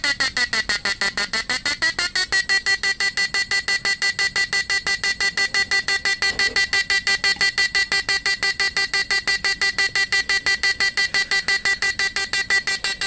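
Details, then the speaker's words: Repaired PDC 4-FET mini stun inverter with replaced PWM, under load, capacitor changed to 50 V 10 µF electrolytic: sharp high buzzing beep pulsing evenly about three times a second at steady pitch; normal slow pulsing. "ini sudah diganti dengan yang Elco 50 volt 10 UF jadi kedipannya jadi kayak gini ya lambat"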